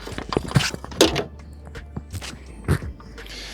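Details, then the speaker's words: 1985 Merkur XR4Ti relay bench-tested on battery power: sharp single clicks as power is applied and removed; coil about 85 ohms, pins 30-87 about 0.1 ohm when energized; relay working. "I hooked up to the battery and I clicked over the relay with the battery and then I measured resistance on pins 30 and 87"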